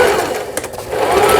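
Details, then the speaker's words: Juki HZL-27Z compact home sewing machine, final stitching after repairing several faults including the feed regulation cam; quick even whir with steady light tapping, no grinding or catching; normal stitching, repair successful. "경남 양산시 북종로로 보내지는 주기 미싱의 HZL27Z 이런 기계에 수리를 마치고 박음질 하는 영상이었습니다. 수리가 잘 됐네요."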